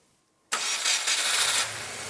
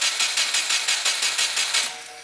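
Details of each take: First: Crashed Subaru WRX started after checking fuel pressure; silence, then it catches instantly, flares up in a loud rush and settles toward a steady idle; clean, healthy start. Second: Crashed Subaru WRX, key-on start attempt: fuel pump and relays heard, oil light off showing oil pressure. Starter cranks steadily, about five turns a second, but never fires; no spark, as an ECU pin must be grounded.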